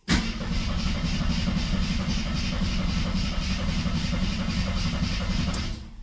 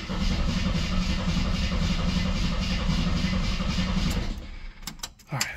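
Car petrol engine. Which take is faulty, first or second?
first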